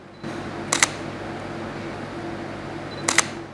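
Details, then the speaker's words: Camera shutter with half-press focus beeps preceding: two crisp double-snap clicks about two and a half seconds apart in a quiet room on full press; shutter firing normally. "Còn nếu mà chúng ta ấn lực mạnh hơn lực full thì nó sẽ có tiếng tạch và lúc đấy là máy đã chụp ảnh"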